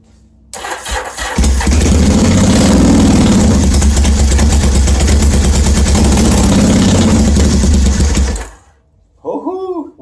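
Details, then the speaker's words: 1981 Yamaha XS850 Special with rebuilt carburetors and no exhaust tips, full choke in cold snowy weather: slow cranking with pops, then uneven roaring start that won't idle; owner thinks it's just too cold. "well it's starting up but it's not idling maybe it's just too cold"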